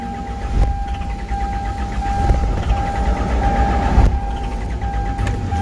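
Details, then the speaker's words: Hyundai Santa Fe CM diesel common-rail with DPF, no start after sitting over holiday: cranks steadily, almost catches but never fires; self-diagnosis shows no fault codes. "이렇게 시동이 이렇게 시동이 안걸리고 문제가 있어도 자기 진단은 정상 이렇게 나올 수 있습니다"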